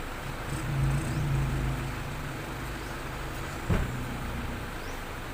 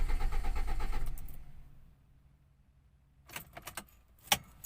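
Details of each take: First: Toyota Soluna after replacing a failed EFI relay that had cut spark and caused a no-start: quiet steady engine note rising cleanly on a light rev, no misfire or stumble; healthy. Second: Soluna cranking with no start: about a second of steady starter churning with no firing, then key rattle; no power reaching the spark plugs, traced to a failed EFI relay.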